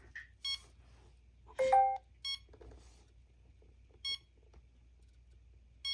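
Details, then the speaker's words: OMP Hobby M2 V3 Pro heli with V-Bar Neo Mini receiver on Mikado Vcontrol: short high beeps about every two seconds while connected, because the S-Bus receiver type wasn't set to Futaba in the OMP app. "Okay, so super important. If your M2 V3 is beeping like mine, it just beeps. It's connected, but it's beeping."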